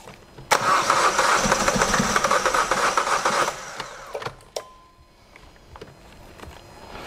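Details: Diesel: about three seconds of even cranking near 230 beats a minute before fading; slow to catch with air in the fuel system and empty injectors.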